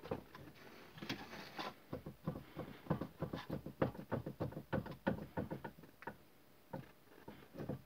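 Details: Toyota Corolla: uneven run of dull hollow knocks, roughly three a second, with no engine behind them; worn steering rack knocking.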